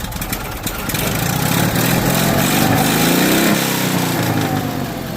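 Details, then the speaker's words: Small engine, now road-tested around the block: a steady, even putter with a brief rev rise, no misses, loud exhaust. Running better, normal idle. "I love that exhaust. But, it's running better."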